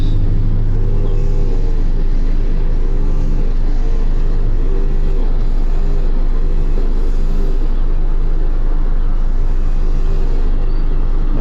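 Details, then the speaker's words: A 1998 Mazda Protege 1.5L at idle, 775 rpm against 781 desired; a low, steady, even idle with no surging, warming up so the monitors can set. "it's definitely idling a lot lower in a lot so I'm gonna let this warm up then we'll see if we can set the monitors"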